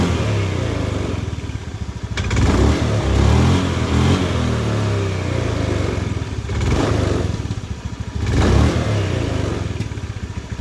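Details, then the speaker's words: Honda Beat ESP scooter on the center stand: revs rise and fall with a brief dry rattle as each rev drops back on throttle release. This is the owner's complaint, louder when riding. Points to a worn CVT drive pulley collar and sliders. "Oke, adanya di ujung gas ketika kita turunkan untuk gasnya ya. Itu yang dikeluhkan oleh pemilik kendaraan."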